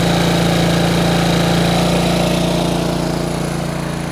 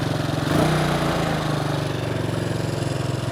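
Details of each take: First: Bombardier Traxter 500 ATV single-cylinder with rebuilt carburetor, warm restart: fast steady idle that won't settle, then drops sharply near the end, because the previous owner had turned the throttle cable adjuster out too far; being readjusted. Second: Bombardier Traxter 500 ATV single-cylinder engine after a no-cost carburetor clean and rebuild, cooled down, started on the electric starter with no starting fluid: it catches within a second and settles to a steady, even idle with no misfire; normal electric start, repair a success.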